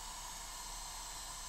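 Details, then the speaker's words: ECO6-10 hobby battery charger, fed from a modified 24 V, 350 W supply, at about 140 W, charging a 10,000 mAh pack from storage near the balance stage and thermal cutoff, gives a steady thin high-pitched whine over soft hiss. "right there. So, you can hear it whining. Um, which is pretty annoying in these chargers."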